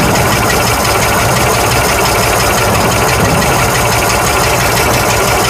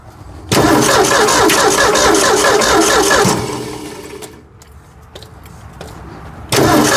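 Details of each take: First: 1965 Ford F100 240 six after carburetor replacement, oil change and radiator top-off: smooth, even idle with steady low rumble, no knocks, misses or hunting; normal idle. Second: 1965 Ford F100 240 six after carburetor replacement and oil change: cranks and catches, runs rough about three seconds, dies, fires again; owner suspects idle set too low; stalling after start.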